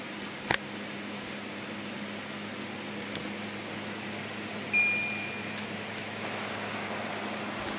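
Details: Window air conditioner on cool at high fan speed, tested outside a window, earlier rubbing noise expected to wear off: steady even airflow hush with faint low hum, no rattles or grinding; quiet, running normally.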